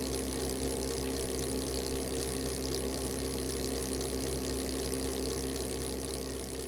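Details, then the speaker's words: Tsubaki low noise drive chain on two sprockets, 100 m/min, about 66 dB, roughly 9 dB quieter than RS roller chain: even, smooth whirring with soft steady hum, no slap or clatter; normal chain running. "this is saki's low noise drive chain the chain is attached again to both sprockets and the test is carried out as before the sound level here is approximately 66 d"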